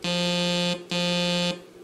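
Two steady held notes that sit noticeably sharp of the key played; the drifting oscillator chip on voice one is failing.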